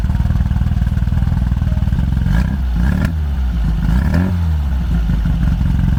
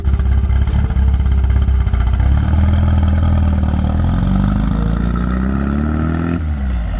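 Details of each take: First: Orange 1972 VW Super Beetle with an air-cooled flat-four of unknown size, possibly 1600 with a big SK8 cam. It idles with a lumpy, uneven, loping beat, and worn ignition points and tired spark plugs are diagnosed as the cause. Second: 1972 Super Beetle with a reportedly recently rebuilt engine and big cam, after new points and plugs replaced badly worn points: a steady air-cooled rumble climbing smoothly in revs. It no longer chugs pulling away in first gear; running normally and better.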